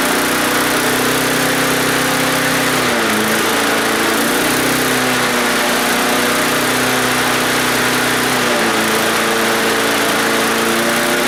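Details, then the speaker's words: Donated non-running lawn mower, first start after priming a bone-dry carburetor, with a non-original throttle linkage that works backwards. A bright, steady buzz dips and recovers with throttle, with no popping or misfire; runs smooth and healthy. "that's pretty good sounded real good actually that is a good running motor nice and smooth no popping in all that good stuff"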